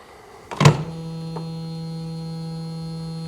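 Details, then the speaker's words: 1975 Bricklin SV-1, key switched on with booster pack: click then steady low buzz, like a motor energised but stalled; cause not found, owner suspects a seized electric motor such as the wipers. "It's a crazy noise. Brr. Why would it do that?"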